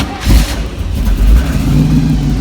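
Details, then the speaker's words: 1933 Ford pickup hot rod, GM crate 350 Chevrolet V8 with Voodoo cam, BDS 6-71 blower, twin Holley 600 carbs, MSD ignition, TH350: after a shot of gas, catches on first crank with one rev burst, settles into deep steady lope; normal start. "Now you can see the state of tune the car is in. Fires right up with barely a breath on the key."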